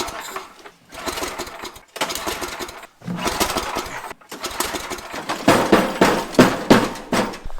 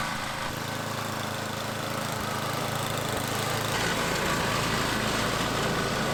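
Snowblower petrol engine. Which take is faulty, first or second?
first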